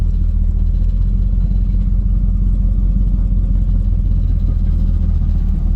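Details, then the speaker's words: 1968 Buick Wildcat with automatic transmission, under way: heavy, steady, deep low rumble and drone with nothing sharp on top; not exhaust; owner suspects internal transmission failure. "think our transmission, this one's toast. That's parked right now. That's something inside taking a shit."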